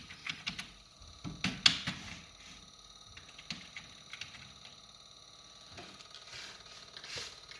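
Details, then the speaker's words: Noisy PC, fan blades striking the power supply's probable 24-pin cable after assembly: quick, light ticking over a faint fan whirr; silent once the cable was moved. "so the main problem here was that there was a cable the power supply cable probably the 24-pin connector that was making a contact with the fan when he got it assembled"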